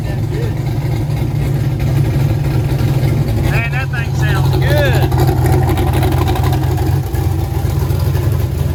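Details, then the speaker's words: Freshly built 1000+HP turbo LS V8 Mustang, first start after three days' work, Holley-tuned with air-fuel right on: deep even V8 burble at steady idle, smooth unbroken firing; running healthy, though no rpm signal yet (suspected crank sensor). "oh my goodness man your car's running you happy"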